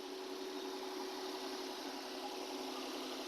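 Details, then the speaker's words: Nissan/Infiniti VQ35 3.5 L (G35) warming up: smooth steady hum as rpm drops to about 900, no stumbling or hunting; normal idle. "the RPMs are dropping that sounds good too uh we're down to thousand I believe yeah 900 good"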